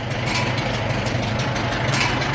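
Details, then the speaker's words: 1947 Farmall M four-cylinder, first start after rebuild: steady low, even chug at idle with no knocks or misses; runs well with plenty of power, and no noises from the rear end. "main thing is it runs it runs pretty good got a lot of power and tips here that's for sure"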